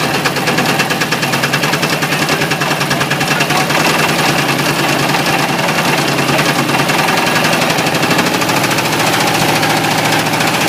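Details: Ford 351W V8 with a spun rod bearing, abused until it dies: hard, rapid rap roughly three a second over the running engine; coolant spraying and burning on top; rod knock from the spun bearing.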